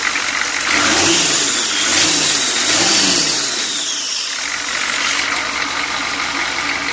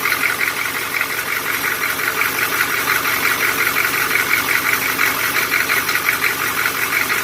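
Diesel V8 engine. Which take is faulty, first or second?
second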